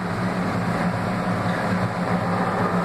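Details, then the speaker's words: The Laundry Alternative mini automatic washer in spin (owner thinks about 850 RPM intermediate spin); low, even hum with soft rumble underneath, no knocking or scraping; phone may exaggerate noise; normal quiet spin. "E como vocês podem ouvir, a máquina está silenciosa, talvez o meu telefone faça parecer mais ruidosa, mas ela é muito silenciosa."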